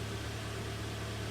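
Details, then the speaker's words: 2013 Hyundai ix35 G4KD, about 122,000 km, AWD automatic, after piston knock repair; heard from outside, low even idle hum with no knocks or ticks; runs evenly and quietly. "Ну давайте слушаем снаружи и заканчиваем работает ровно работает тихо"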